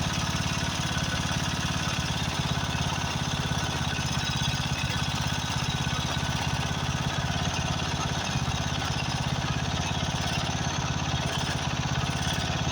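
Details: Craftsman riding mower, 13.5 hp Briggs & Stratton OHV single, after a carburetor replacement: uneven lumpy chugging with wavering speed, running rough. Owner suspects fuel mixture adjustment or possibly a blown head gasket.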